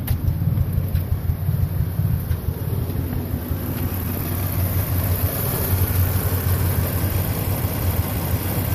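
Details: Toyota Tacoma petrol engine, started the day after an engine bay wash, idling with a low, uneven, shaking, stumbling rumble: misfire and rough idle, worsening while driving; cause unknown.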